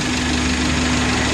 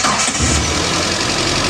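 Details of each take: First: Idling car engine with a rough, loud bubbling knock under a steady hum; coolant boils, overflows the reservoir despite new cap, lower radiator hose hot while upper stays cold; warning light off; suspected stuck-shut thermostat or weak water pump. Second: Engine after thermostat replacement for overheating, coolant overflow and boiling in the radiator; warmed up after a long test drive. Fires and settles into a steady, even idle with no bubbling or boiling. Running normally.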